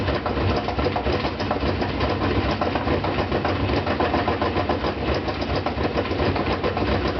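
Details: Brand-new GE washer (Sep 2012), loaded with two blankets, during spin: heavy rhythmic thumping around 85 per minute, uneven in strength, over steady spin roar; fine during agitation, quiet when empty; loose concrete counterweight knocking.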